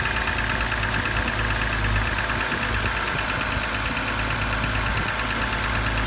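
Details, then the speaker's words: BMW N52 engine whose lifter tick returns a couple of thousand after oil changes: a quick, light ticking keeps time with the idle above the engine hum. Hydraulic lifter tick. "you change the oil it works for a couple of thousand guys and tick tick tick tick is back"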